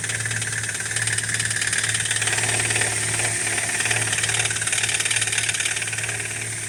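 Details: BMW E87 118i, N46B20 engine, cold start: fast clattery ticking like nails in a bucket over the idle from the hydraulic lifters, fading after brief running; happens on every cold start.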